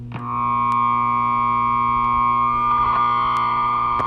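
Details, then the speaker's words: Record lathe amplifier with a freshly replaced 20/20/20/10 µF can capacitor, switched to record-mic mode: a steady high squeal near 1 kHz over a low hum. The feedback squeal comes from a faulty resistor that needs replacing. "if i turn it to um record mic it might start squealing but that's because this resistor needs to be replaced"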